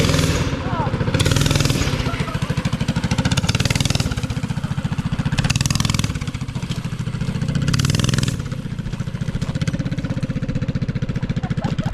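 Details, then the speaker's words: Mini bike with swapped Harbor Freight Predator 212 engine, bigger jet and air filter, just started, running off choke while warming up: steady single-cylinder firing with gentle speed rises and falls, no misses or pops; sounds good. "That sounds so good. All right. It just need to warm up. It's running off choke now."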